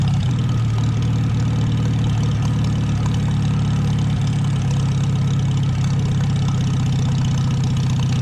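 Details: 1949 Farmall H tractor brought back after sitting roughly 10–20 years: deep, even engine drone holding steady under slight load, no knocks, misses or clatter; sounds more loaded but smoother. Normal running.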